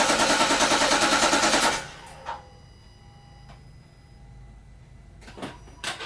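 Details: 2011 Infiniti FX50S, VK50VE V8, during starter replacement: the starter spins the engine evenly for two seconds with no firing, because the fuel pump is disabled to run the fuel out before opening the fuel line.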